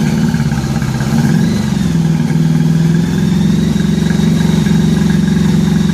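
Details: 1983 Honda Gold Wing flat-four after new head gaskets and fresh spark plugs, now filled with coolant and warming up. Steady, smooth idle with an even low hum and slight wavering, all cylinders firing: normal idle.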